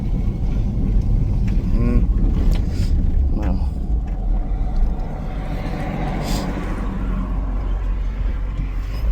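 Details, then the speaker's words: 2002 Chevy Silverado, lifted, driving after replacing the wheel hub: steady road and engine rumble with no crunching or grinding from the front wheel. The earlier noise is gone and the hub sounds healthy; alignment is still off. "sound good over there boy does it sound good sounds good to me"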